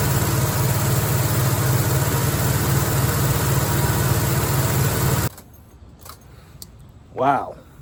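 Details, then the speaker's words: 1969 Pontiac LeMans with its stock V8, parked since 1996, first start after about 25 years: it holds a steady, even idle for about five seconds with no stumbles or knocks, then shuts off. "there you have it we got the judge coverman Le Mans slash GTO project uh running and"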